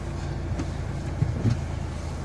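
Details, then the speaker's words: Nissan X-Trail diesel that cranked but would not start, with no glow plug light. The cause was a blown 20 A fuse; the glow plug light then came on and the engine started. Steady, even idle clatter with no stumble; normal idle. "So the car now is started. As you can hear, it was this sucker here which caused the problem."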